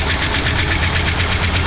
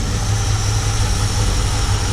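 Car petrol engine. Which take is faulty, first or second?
first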